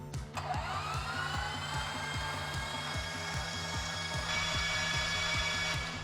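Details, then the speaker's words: Piper Saratoga with freshly overhauled engine, plugs removed, fuel off: starter spins engine to build oil pressure, whine with even compression pulses about 2.5 per second; turns over freely, oil pressure rises to plenty, normal cranking. "There she comes. Starting to come up. Give it a rest here. Clear prop. Perfect. All right. So, we got oil pressure in there."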